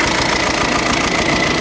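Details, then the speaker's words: Skoda Superb after broken injector bolt removal and reassembly, idling: rough idle with steady rapid knock about eight times a second under harsh rasp; weak exhaust flow; mechanic suspects valve or cam timing problem, checked with Picoscope. "first of all i thought it's like sound like a bit of a vows problem timing problem"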